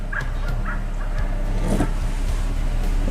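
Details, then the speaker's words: 2000 Toyota Tundra SR5 4WD 4.7 L with no engine light and no idle air control valve, still cold, in gear at about 350–400 rpm: very low, lumpy idle that stumbles and nearly dies on light throttle. Cause is a dirty throttle body venturi, fixed by cleaning. "if I try to give it any gas now if I can go easy on the throttle it seems to do okay well it almost try to die there"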